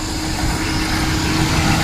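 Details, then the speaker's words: Perodua Kancil with overheating complaint, after top overhaul, new head gasket and new thermostat; fan wired direct so it spins as soon as engine starts. Steady idle with constant cooling-fan whoosh over engine hum; no leaks, overheating cause still elsewhere. "dia punya kipas terus jalan, dorang sudah derek. Maksud dia kalau macam kipas jalan, lepas itu thermostat baru, sudah buat top of haul dan leaking pun tiada, sudah pasti kereta dia nih tidak akan pandai overheat."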